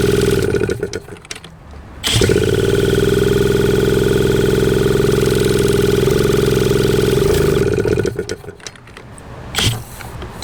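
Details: 1981 Suzuki TS250 two-stroke, long parked, B8S plug: engine snaps up to a screaming high rev on its own, holds for seconds, then drops away; runaway revving, cause unknown.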